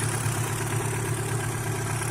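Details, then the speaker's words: Chevrolet Vectra engine at idle about 15 minutes after adding Motorkote100: steady, even low idle with a smooth pulse and light belt hiss. No knocks or vibration; engine running normally. "Só o barulho da correia aí e o barulho normal do motor ficou muito massa galera"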